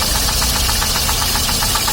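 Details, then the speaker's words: 2006 Daewoo Sens engine running on LPG at idle, recorded under the open hood; sharp, light ticking knock about seven times a second, top-end tapping; suspected an unadjusted or loose valve, owner also suspected camshaft or head. "Бачите? Чуєте? Это клапан. Клапан. Это клапан. Клапан не відрегулірований."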